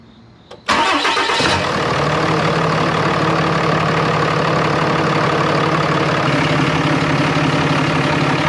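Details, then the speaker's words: 2013 RAM 2500 6.7L Cummins diesel, first start after a BD Diesel Screamer HE300VG turbo and exhaust manifold were installed (the old turbo's VGT actuator had failed), with a leak check. Quick crank, clean catch, steady even idle with no whistle, hiss or knock; no leaks. Normal start and idle. "No leaks. Yeah, will you give me a couple perhaps? Sounds pretty normal. No boost occurring yet."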